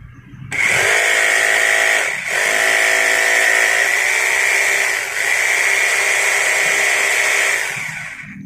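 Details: Rotary hammer drill that slipped and would not drill, tested in concrete-drilling hammer mode: loud, even high-pitched drive whine with a fast rattling hammer beat; hammer mechanism working properly.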